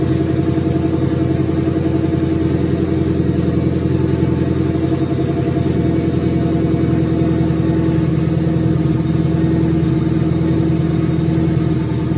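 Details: 2003 turbo Mustang Cobra V8 idling after reinstall with new valve cover gaskets, about 55 psi return-style fuel, intercooler cold-side pipe disconnected: deep even burble holding steady, no knocks, misses or hunting; normal idle.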